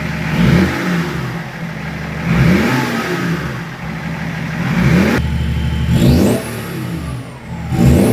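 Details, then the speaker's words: BMW E36 Compact with freshly swapped-in replacement M57 diesel, first start with intercooler pipework and everything refitted, run a couple of minutes before revving: quick clean blips rising and falling smoothly with a rising turbo whistle, no knock, flutter or rattle; revs nice and free, normal free revving. "Sounds alright. I let it run for a couple of minutes before I give it a rev."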